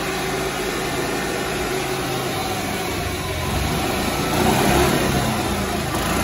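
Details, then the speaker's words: Club Car golf cart engine, governor set by transmission-driven spring tab adjusted with tachometer, top speed about 3450 rpm (higher hits rev limiter); engine climbs then holds a steady busy drone without hunting: normal governed top speed. "that sounds about right 34.50 somewhere in there just depends on the application"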